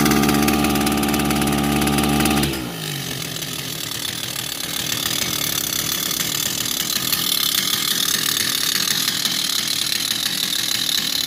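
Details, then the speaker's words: Kawasaki TJ35 brush cutter before repair: two-stroke drops from a steady high note into a ragged, uneven, rattly run with heavy vibration that labours and struggles; exhaust port blocked with carbon. "You can hear that the engine runs. But it struggles. A lot of vibration."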